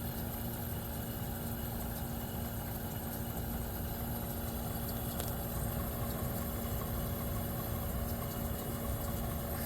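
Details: 1973 Westinghouse 25-pint heavy-duty dehumidifier, just acquired after sitting in a cabinet shop, operating normally with frost on the evaporator: steady low hum, constant tone, even fan rush, no knocking or rattles.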